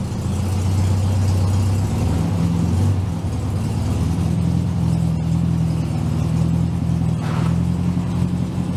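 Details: 1967 VW Beetle "Ruby", air-cooled flat-four, with a new cap, rotor and plug wires, warming up on a roughly 40° day. An even, low putter with smooth throttle blips and no misses or pops; it runs clean and steady.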